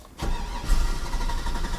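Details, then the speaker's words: Chevy 6.0L V8 truck with an intermittent no-start that died on a test drive: the starter cranks steadily but it never fires. Injection pulse is present but spark seems lost; doubts remain about the spark test and a failing fuel pump is suspected. "okay yeah i have injection pulse so to have injection pulse and no spark uh is very unusual on this"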